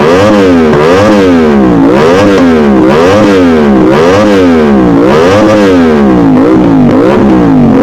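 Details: Modified Aprilia RS660 on the newly loaded remap, not yet warmed up: crisp repeated blips, revs rising and falling cleanly about once a second with no misfire or hesitation; normal revving, and later diagnostics showed no engine fault codes.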